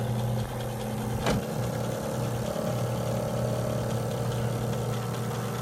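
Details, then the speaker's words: Advance Aquaclean 15 HD walk-behind carpet extractor, tested with 2 lines replaced, brush not worn: steady even motor drone and low hum, one brief handling knock; brush drive turning smoothly, no grinding, working as it's supposed to. "And you can see that the brush is turning and everything is working down there just the way it's supposed to."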